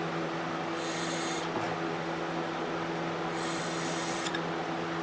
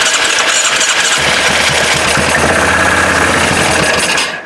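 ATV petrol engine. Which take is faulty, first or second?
second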